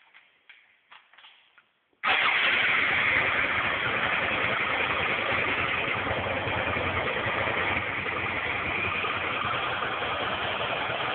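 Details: 2001 Suzuki SV650 N V-twin: starts after a few turns, then steady idle with a light rhythmic clac-clac riding on the twin's beat, coming from the rear cylinder.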